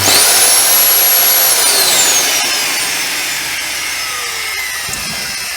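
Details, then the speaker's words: Dyson DC07 YDK vacuum motor burnt out, sparking at brushes: shrill motor whine spins up then slowly winds down under harsh crackling hiss, like burnt commutator arcing. "did you see the sparking you can't smell the smell or see the"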